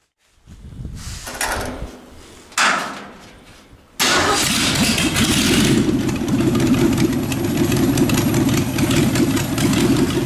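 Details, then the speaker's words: Engine idling while driving a York AC compressor converted to an air pump for a rat rod airbag system. The pressure switch cuts out near 100 psi and cuts back in around 80–85. It cranks, catches, and idles steadily with compressor hum. "I'm crank it up and just let it idle to show you how fast this builds up pressure"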